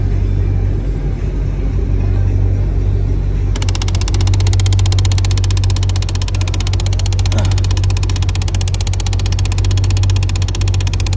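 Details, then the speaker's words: Dodge Charger idling while the AC temperature is changed toward hot. A rapid, steady ticking about three per second starts over the idle. The top blend door actuator is failing and clicking. "Guys, it's that top one. It's definitely that top one. I'm feeling it right now. That's where the noise is coming from."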